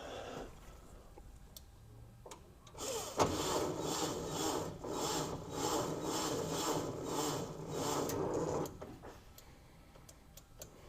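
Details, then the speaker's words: 1961 VW Beetle barn find, revived after sitting: starter barely turns the engine, slow labored uneven whirring for about six seconds then quits. Battery-to-starter voltage tested about 6.4 V; grounding judged fine. Weak cranking. "No, but did you hear how it like started to crank? Yeah, it started to crank."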